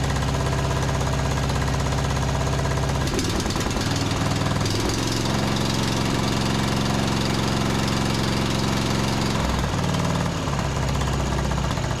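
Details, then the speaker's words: John Deere D110 riding mower engine after carb spray into main jet: runs ragged with uneven thumps and stumbles; misfire traced to a spark plug only hand-threaded, loose in the head. "It was just like hand threaded in there, so I guess let's go ahead and pull this thing out."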